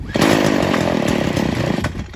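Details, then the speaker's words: Stihl FS 40C trimmer with low-speed mixture screw opened only a half turn: fires with a quick buzzing rattle then dies within two seconds, too lean. "okay so it dies now we're gonna go one quarter turn"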